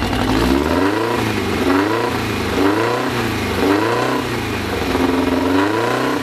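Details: Freshly assembled 2054 engine on its first start after nearly a year of building, carbureted. A steady 1200 rpm fast idle swelling and dipping in even waves, with gear whir and no knocks or rattles; the idle is kept high for break-in. Normal.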